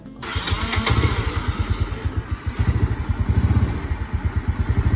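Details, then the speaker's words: Yamaha Mio Nouvo scooter after restoration: engine catches and settles into a lumpy idle with a rough rattle underneath that disappears at higher throttle; worn one-way starter clutch. Replacing only the gear didn't cure it. "suara kayak kasar gitu Tapi kalau digas gede hilang Hai nahkoda Nah itu suara one nya udah habis aja"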